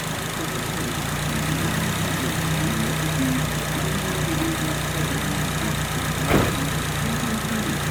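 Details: Nissan SR20DET engine after repair of a rattling (garagara) noise: smooth, even idle with a steady hum, no rattle or clatter, one brief bump near the end; normal idle.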